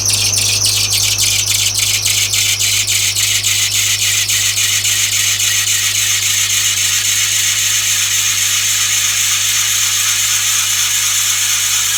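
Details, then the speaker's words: 2007 Subaru Impreza 2.5i cold start at 30–40°F outside: shrill belt squeal chirping about three times a second, then a steady scream; timing and serpentine belts replaced a few months earlier. "I am turning on my 2007 Subaru Impreza. Alright, and this is the belt squealing noise."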